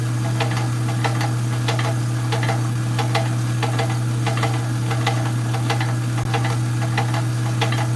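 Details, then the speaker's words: Rock saw cutting stones: light uneven tapping knock at roughly 150 per second under steady motor hum; origin unclear, operator suspects the water shield. "Okay, why is it knocking? Why is it knocking? Y'all didn't hear the knocking noise?"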